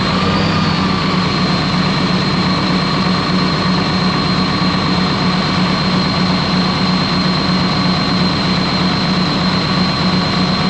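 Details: Ex-US Army Cat D6R bulldozer, 822 hours, valve cover loosely on: loud heavy diesel with uneven lumpy beat about once a second under steady drone; running rough, cylinder cutout test shows number 6 injector not reacting.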